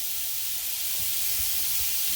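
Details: 1/2-inch copper 90-degree elbow jetting water at 110 PSI because the pressure reducing valve had failed: hard, steady hiss of water, area soaked; the valve is to be replaced.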